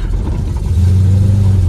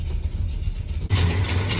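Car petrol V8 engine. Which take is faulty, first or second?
first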